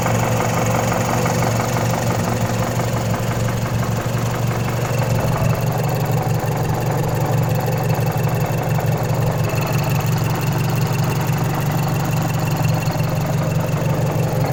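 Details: Mazdaspeed 3 turbo petrol at idle: a steady, loose rattling knock through the low engine note, suspected timing chain noise, not confirmed.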